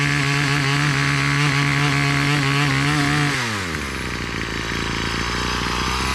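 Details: Garden tiller small engine tilling soil: a steady buzz sags sharply in pitch as it digs in, then runs lower and rougher under load. Owner suspects a carburetor port blockage that later cleared; cause unconfirmed.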